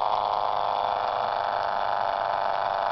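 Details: Homebuilt permanent-magnet pulse motor with collapsing-coil recovery, solar panel charging battery, pulling a load at about 30 mA: steady even whirring hum with fine rapid ticking, no stumbles or surges; normal running.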